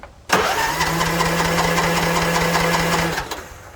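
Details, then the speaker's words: Non-running Troy Bilt TB42 lawn mower, new battery, fresh fuel, choked: even starter cranking with steady hum for nearly three seconds, engine spins freely but never fires; cranks, no start, next checking spark, fuel, compression. "That is good news that everything is turning over freely. Okay, so the engine spun freely, so we need 3 things for the engine run."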